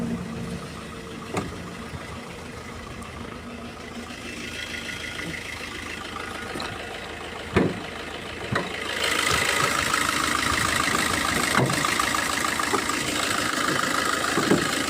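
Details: Diesel car at idle before injector cut-out test via OBD2 scanner: even, steady clatter with no misses, surging or vibration; all injectors firing.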